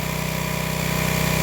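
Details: Old Craftsman pressure washer after clearing the hose end and wand: fast, even putter at steady speed with no misses or surging; small engine idling cleanly, revival successful.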